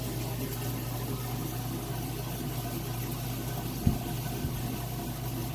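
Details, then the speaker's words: Kenmore top-load washer draining its first rinse: steady, low drain pump hum with water rushing out, running evenly with no grinding or rattle, normal operation. "here we go draining the first rinse load out here"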